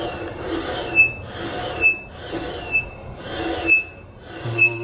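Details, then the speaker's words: 1982 Kenmore 110.86171 dryer, about 43 years old, drive motor squeaking high-pitched a little over once a second as it turns; owner suspects a dry oil-type motor bearing, oiled before deciding on motor, belt idler and drum seal replacement. "This motor, as you can hear, it's kind of squeaking when it's turning. Yeah, there's definitely some squeaking there, isn't there?"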